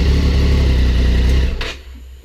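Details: 2006 Triumph Daytona 675 started after no-start traced to battery, ridden a few hundred miles since: short burst of smooth, even running with steady low note, then clean shutoff; normal idle.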